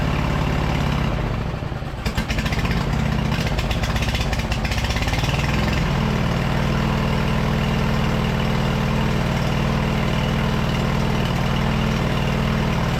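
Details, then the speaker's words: Early-2000s Craftsman LT2000 lawn tractor V-twin, sat about a year, gravity-fed fuel, upper shroud off, choke half on just above idle: rough catch then smooth, steady low putter with no knocks or misses; normal idle, carb clean still planned. "honestly that thing sounds great we'll definitely have to do a uh carb clean on this but it did I just with the uh the choke about halfway on here just above idle it I mean you guys could hear it was running perfectly"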